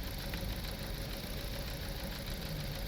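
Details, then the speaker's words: 2016 Toyota Corolla Altis Grande 1.8 four-cylinder misfiring and stalling when put in gear; lumpy uneven idle with cylinder 2 dead on cut-out test, coil and spark fine. "इससे कोई फ़र्क नहीं पड़ रहा गाड़ी को, ये बिल्कुल ख़राब है। अब मैनुअल तरीके से भी आपको चेक करवा देता हूँ। ये 2 नंबर सिलेंडर इसका काम नहीं कर रहा।"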